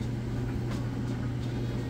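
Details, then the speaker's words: Kenmore electric dryer, tested without exhaust vent attached so blower wheel is audible: steady low hum, even blower rush, smooth tumbling, no thumps, squeaks or scraping; running normally. "this would actually be considerably quieter once you get the ventilation hooked up on the back you won't hear that blower wheel and obviously as you can see it tumbles perfectly"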